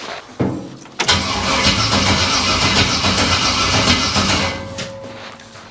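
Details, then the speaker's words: Abandoned 1968 Camaro small-block Chevy V8, first start attempt with junk used parts: strong steady cranking about three seconds without catching; ignition feed wire drops from 12 to 8–9 volts on crank. "Should start with the key. Unless it's not getting enough voltage. Bugger. That did drop down to 9 volts when we were cranking before, and it shouldn't, but I am just randomly guessing at wires here."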